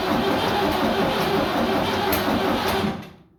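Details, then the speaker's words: Vintage "77" diesel tractor after sitting two days: with a fully charged battery and jump pack, the starter cranks in slow, uneven beats near three a second but it never catches. The ~32-gallon tank is dry; owner suspects stolen fuel or a leak. "I think it's like a 32-gallon tank. But this won't start. I mean, I'll show you guys."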